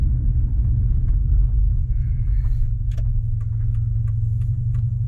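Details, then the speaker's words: Subaru Forester driving with muffler removed: deep, steady low rumble, smooth and even with no popping or misfire; open exhaust, engine healthy, owner feels it may be slightly snappier. "oh yeah she's just purring like a kitten now"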